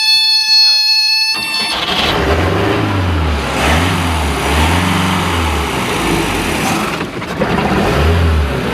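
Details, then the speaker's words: 1989 boat's 3.7L MerCruiser MCM 470, cold start: oil alarm tone briefly, then after pumping accelerator engine catches and runs smooth and even with a few throttle swells; oil pressure around 40; running normally. "pressure is around 40 running around 40 and like i said she's cold natured so she warms up"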